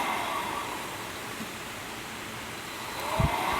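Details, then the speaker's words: 1977 Hydro Flame HF-16 furnace blower, refurbished, bench-run on high with an ammeter in series (about 8 A start spike, 4.2 A running): steady, even airy roar with no rubbing, ticking or wobble; normal blower operation. "okay i have the ammeter hooked to this in series let's see how many amps this pulls on when it the fan kicks on high the spike is like [Applause]"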